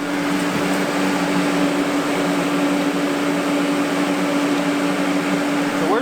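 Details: Water cooler for a water-cooled welding torch (pumps water through a rear radiator to the torch), louder than the welder itself; steady even mid-pitched hum with constant airy rush; running normally.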